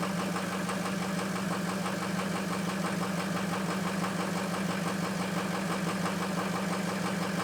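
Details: Ford F350 diesel cold start and idle after a high-30s °F night, two bad injectors: loud steady drone with an irregular knocking beat about 1.5 per second, running rough.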